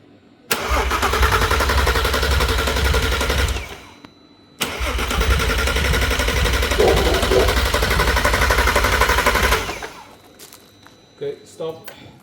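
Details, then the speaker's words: VW R32 engine run on the floor before a swap into a VW T5 Transporter, third attempt with the fuel pump wired: steady fast cranking, never catches. An old earth cable is noted; a loose hidden earth wire feeding the sensors is suspected. "Third try. That was also a failure."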